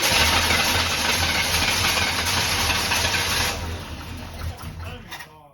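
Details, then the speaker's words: Abandoned barn-find square-body Chevy truck, fuel fed by hand: engine catches briefly with ragged firing, sputters and dies; misfiring, owner suspects timing off, possible air-leaking hose. "huh I think it's because the timing's off you ain't pulling it over for some reason I don't know why"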